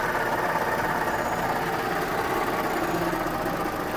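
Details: JAC J3 at start-up idle: quiet steady idle with a faint, even fan-like whir above it; whirring hum, owner unsure if normal, source unclear.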